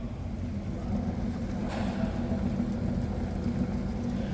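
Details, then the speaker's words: Red Toyota Hilux at 440,000 km, in for service. A steady low roar under the road noise holds while driving. This is a worn rear axle-end wheel bearing, compared against the other side; the bearing is to be replaced. "Tá ouvindo aí o barulho do rolamento vamos lá ó desse lado aqui ó a diferença"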